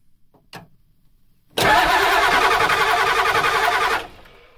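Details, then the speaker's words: Ford 7.3 IDI diesel in neutral, cranked by shorting the starter terminals with a wrench while bleeding injector lines loosened an eighth turn: steady cranking, about 3.5 beats a second, no start from air in the lines. Bubbles appear at one injector. "aha as you can see that cylinder there has bubbled a little little bit so what we're going to do is we're going to tighten this guy up"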